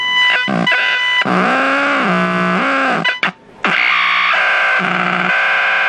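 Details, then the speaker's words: Packard Bell 35 AM tube radio under restoration, coils and tubes checked, nothing passing the IF stage; harsh buzzing and warbling squeals jumping in pitch and cutting in and out, cause unknown. Radio squealing and buzzing. "huh this radio is a trip this radio is just it's weird it sounds like there's some activity"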